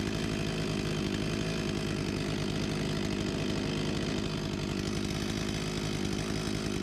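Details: Husqvarna 254 G chainsaw, 35 years old (1989), after carb refurbishment and fuel line replacement and idle set to 3000 rpm: steady high-pitched scream at 13,000+ rpm no load, no misfire; runs cleanly and strongly.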